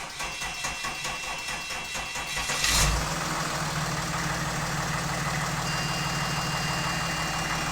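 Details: Mercedes CLS 320 CDI diesel after repair of no compression in number 6 cylinder; brief cranking, catches at about three seconds, then a steady even idle with no misses or knocks, normal start.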